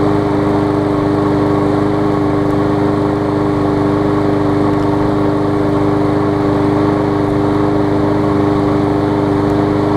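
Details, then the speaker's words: New 2013 Murray push mower that lost compression on first start from a hard piece of rubber stuck in the intake valve; after removing it, the engine holds a steady, even drone with no misses or surging and runs great. "you see it's running great now"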